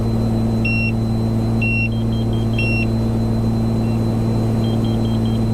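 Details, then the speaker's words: 1982 Cessna 414A twin in flight, Seattle to Portland in IMC and icing: high-pitched alarm chirps then quicker triple beeps over a steady twin-engine drone; carbon monoxide warning, but the Sentry showed CO normal, probably a false trigger. "What's that sound? That's a carbon monoxide warning, isn't it?"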